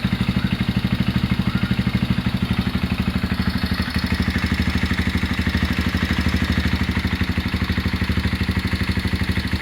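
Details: Honda GL Max Neotech motorcycle engine before teardown, idling. Owner complains of rough noise, oil seepage, possible compression loss. Rough clatter from cylinder head and clutch area over steady single-cylinder beat, about three beats a second; timing chain and rocker arm noise.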